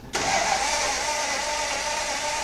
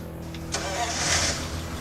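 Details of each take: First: 1935 Ford V8 roadster with its sheet metal removed: the starter cranks steadily and fast for about four seconds but the engine never fires, and the fuel pump is loud; a lack of spark is suspected but not confirmed, with a coil-wire spark test next. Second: 1935 Ford V8 roadster flathead engine, fire-up after a full rebuild, catches quickly and settles into a smooth, even idle with a steady low beat and no knocks or misses; it sounds like a Swiss timepiece.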